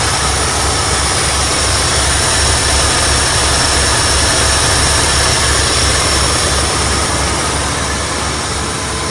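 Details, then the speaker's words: 1972 Ford F100, abandoned for decades, starting after a rebuilt carburetor replaced the worn one; steady, even idle with a smooth low rumble, no misses, stumbles or surging, no exhaust smoke, running cleanly. "there it is guys rebuilt carburetor just like that starts right up idling perfectly"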